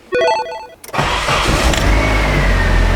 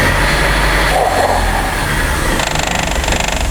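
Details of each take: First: 1995 Nissan 240SX engine in a 1997 S14 shell after reinstall, brake booster vacuum line reconnected; warning chime, short crank, clean catch and smooth rising rev that settles evenly. Starts and runs normally. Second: 1995 Nissan 240SX engine in a 1997 S14 shell, first start after reinstall; uneven, lumpy idle with a faint hiss. Giant vacuum leak because the brake booster vacuum line was not hooked up.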